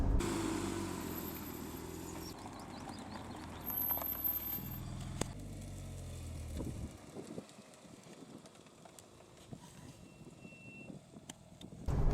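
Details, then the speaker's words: Porsche 911 (991), about one year owned: road rumble fades as the car stops, with thin piercing brake squeals every stop; the dealer couldn't replicate it, and the owner plans to clean and copper-grease the pads. "Well, that's funny, because I've done a few days ago, I did about 5 or 6 videos of the car driving and stopping, and every time the car came to a stop, the brake squeal was there. In fact, listen to it now."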